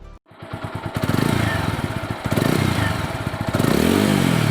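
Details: TVS Apache RTR 200 4V (197.75 cc single, oil-cooled) after silencer welding and internal pipe rebuild, sensor refitted: fires up and revs in blips, exhaust note rising and falling cleanly with no rattle or blowing from the silencer; silencer noise fixed.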